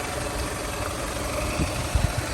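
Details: 2000 Toyota Camry LE, 173,000 miles, fresh Aisin timing belt, new radiator and hoses: steady, even low idle with smooth hum and a couple of faint bumps; engine sounds healthy.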